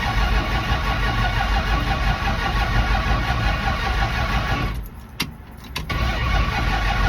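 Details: 1974 Dodge Dart restarted hot, minutes after driving and refueling: the engine cranks hard, runs unevenly and nearly stalls, then catches with sharp revs and pedal pumping; a hard hot start.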